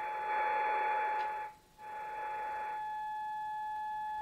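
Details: Kenwood TS-440S ham radio emitting a loud, steady fixed-pitch tone that briefly drops out; the straight key was left shorted under a box, keying the CW sidetone, not a power supply fault.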